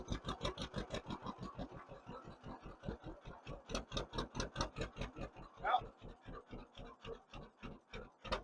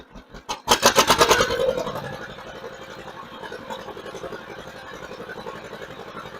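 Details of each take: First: 1958 John Deere 530 with a freshly rebuilt carburetor, still warming up. Slow, even popping at about four beats a second at low idle, a little soft and thin; it improves as it warms but needs slightly more idle fuel, a slightly lean idle. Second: 1958 John Deere 530 with a freshly rebuilt carburetor, run through the throttle range. It picks up fast with quick, even pulses, then settles back to a steady, slower beat: clean throttle response both ways, normal.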